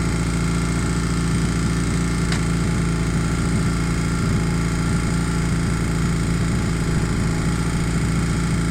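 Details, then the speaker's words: 1981 Honda CM200T twin after carburetor cleaned and restored: steady, even idle with a smooth low thrum and no misses, knocks or rattles; running clean, normal idle. "this is how it runs after the carburetor was cleaned and restored"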